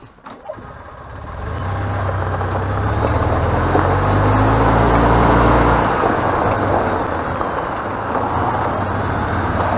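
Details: Flood-damaged EZGO golf cart after new micro switch and tune-up, test drive: engine hum rises and falls evenly with speed over road noise, no misses or knocks; running normally after repair.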